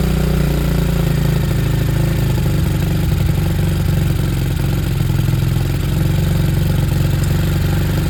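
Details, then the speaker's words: Bike after a carb conversion, choke off, idle adjusted, on a temporary fuel supply that is about to run out. The small single ticks over at a smooth, even idle with a steady beat and no misses or hunting; normal idle. "I'm expecting it to cut out. It's running out of fuel. It's a nice idle."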